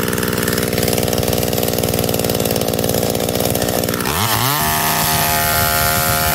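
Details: McCulloch Eager Beaver 2.0 chainsaw after rebuild, spark arrestor back on, probably warm, run to burn off old gas: steady high buzz, then revs sag and wander as it sputters out of fuel; ran clean until then.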